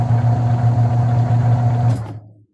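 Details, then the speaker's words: Media automatic washing machine wash motor, wired through the capacitor to run in reverse to test reverse/forward operation; steady low hum and even drone, then a smooth wind-down when switched off, no grinding. Normal motor running. "So, nilagay muna natin sa reverse yan. Paandarin natin. So, yun. Nag-reverse siya."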